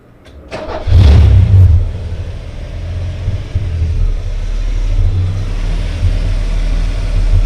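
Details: Ford EA Falcon cranks, catches and settles into an uneven, stumbling idle with occasional dips; it runs very rich with a hint of misfire, cause unknown. Rough idle with misfire.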